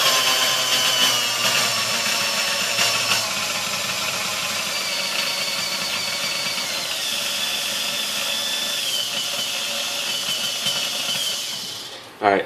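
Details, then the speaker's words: Sunbeam Mixmaster Model 1-7A after cleaning, fresh oil, new grease and a resistor replacement: a steady high-pitched whirr stepping up with speed, steadier through all speeds, though the lowest speed still skips slightly. Normal running. "each speed I mean one sounds better but they sound more steady through all the speeds"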